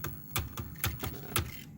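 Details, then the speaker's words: HO Life-Like Proto 2000 E8/E9 locomotive after a hard-wired decoder install: sharp irregular clicks about twice a second over faint motor hum; cracked axle gears were suspected. Debris caught in the gears. "oh it sounds like cracked axle gears oh man all right hopefully that's not the problem but we'll we'll have to check it out"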